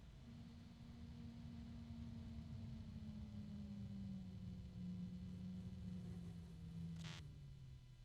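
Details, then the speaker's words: Fan set to low speed (should run 2,000 RPM) with its supply voltage being reduced: the hum sinks steadily in pitch, then a brief rasp and the whine fades as the fan stalls from too little power. "fan and when you hear that noise the the fan is saying I can't get enough power I'm turning off"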